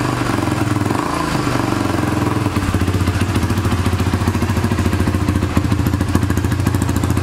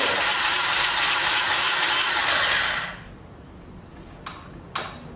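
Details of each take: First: 2006 Honda TRX300EX quad, cold start after exhaust stud repair and starter one-way bearing work: single-cylinder thumping at about three and a half beats a second, slightly lumpy from the cold but even; healthy idle. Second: 2006 Honda TRX300EX quad, rebuilt starter using old parts, exhaust just fixed: high even whir about three seconds with no cranking beat, starter spinning free without engaging; owner suspects starter gear fell off behind cover.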